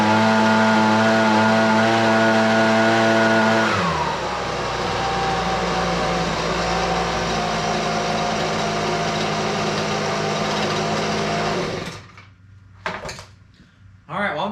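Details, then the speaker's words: Husqvarna 125BV leaf blower after carburetor replacement for a fuel priming fault: high steady two-stroke buzz drops to a lower even run, then cuts out; runs best in a long time, may need slight adjustment; normal running. "honest with you that's the best that saw or that saw that's the best that blower has rain in um quite some time sounds like it could use a little bit of adjustment but I'm not too worried about it"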